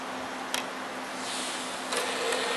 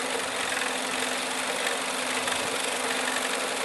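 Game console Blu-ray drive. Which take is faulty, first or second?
second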